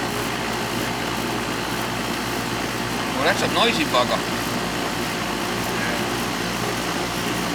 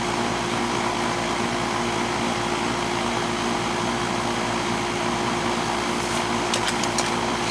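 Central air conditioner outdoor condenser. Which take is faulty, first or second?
first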